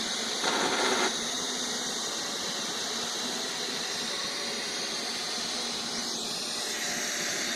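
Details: Neato robot vacuum after returning from repair: steady high, hissy whirring with a scraping squeal on top that does not settle; grinding inside, cause unknown.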